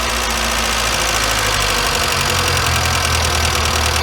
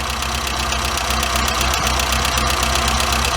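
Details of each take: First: Warm engine with a Weber 38 DGAS carburetor whose idle speed and mixture screws are backed out as a starting point. It gives a high, steady, slightly lumpy idle: idle speed too high and mixture too rich. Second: Warmed-up engine with Weber 38 DGAS carburetor, adjusting idle mixture screw: turning it in leans the mixture and idle falls, turning it out picks idle back up; steady carburettor idle, about four pulses a second.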